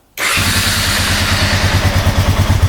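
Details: 2007 Honda Rubicon 500 ATV, oil level now correct after the oil change: starts at once and settles into a steady, even single-cylinder warm-up idle with no misses or knocks; no smoke seen.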